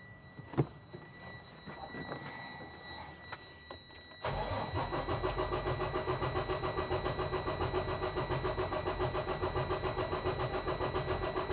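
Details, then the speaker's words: Detroit DD13/DD15/DD16 diesel truck cranking during a relative cylinder compression test for suspected high crankcase pressure. The truck has been sitting and the batteries are slightly weak. Cranking is even at about 214 pulses a minute; all cylinders read at least 85%, none faulty. "truck's been sitting a little bit so the batteries are i can hear getting a little weak but we're still getting good compressions test readings here nothing under 85 percent so none of these cylinders here look faulted"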